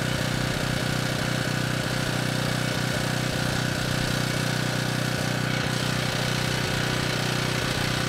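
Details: Ridgid 5700 W generator (RD905712), Yamaha MZ300 engine, dump find with 1500 hours, after carb check; started first pull on a cold day, warming up before load: loud steady single-cylinder drone with even firing pulses, no misses or knocks; normal running.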